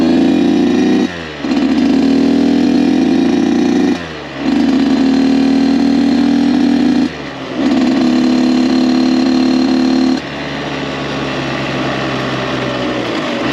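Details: Rebuilt Kawasaki KX 85 two-stroke, maiden ride during break-in, up to third gear; crisp, even, quiet buzz pulling cleanly through the gears with brief drops at each shift, no misses; running healthy.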